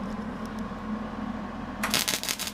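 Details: Millermatic 135 MIG welder after repairing its trigger wiring failure, power turned down: low steady hum then crisp crackling bursts as the arc strikes and holds; normal MIG welding arc.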